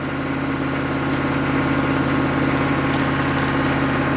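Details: 1995 Chevy K3500 6.5 turbo diesel with throttle control fault, new pedal and pump driver module didn't help: on start-up holds a fast, steady clatter at exactly 2,000 RPM versus 844 desired idle; high idle.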